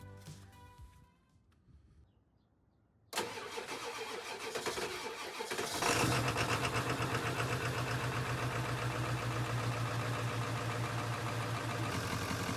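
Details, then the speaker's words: 1994–1997 Ford F-250/F-350 7.3 Powerstroke diesel after vacuum pump replacement: brief crank, then a steady, even diesel clatter with a firm low hum; healthy start and idle, brakes and HVAC vents working, belt squeak a separate issue. "After startup, the pump is doing exactly what it's supposed to. The brakes feel great, and the HVAC vents are switching properly."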